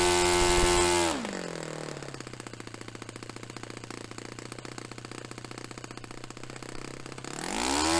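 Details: Restored Saito FA-45 Special on a test stand, 10% nitro fuel, warmed up; manual specifies about 10,300 peak and 2,500 low rpm. A high shrill rev drops to a steady, evenly popping idle, then picks up crisply without stumbling. Normal running; top end was richened slightly.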